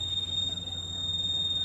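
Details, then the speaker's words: Split AC indoor unit: constant shrill high-pitched squeal over a soft fan hum, coming from the left-side blower bushing, which needs repair. "तो सुना दोस्तों आपने इसमें से left side से आवाज आ रही है। जहां बुश लगी होती है।"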